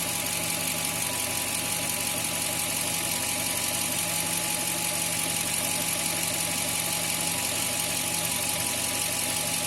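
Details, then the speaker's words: 2000 Toyota Tundra 4.7 L V8 after P0171 lean code was cleared and stayed cleared: steady, even idle hum with no hiss or whistle; fuel trims normal, no leak noise; normal idle. "حتى صوت تسريب الحين ما في صوت تسريب، طبعا هذه سبب المشكلة كلها. ما في أي عطل."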